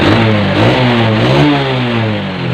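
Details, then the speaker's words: Carbureted Honda Revo Absolute motorcycle being checked for a failing regulator/rectifier that causes stalling: after several minutes of running, the horn gets louder and the lights brighter; the engine revs up and drops back cleanly with even firing, running normally. "oke kakson juga sudah mulai agak keras se juga sudah agak terang ya wis"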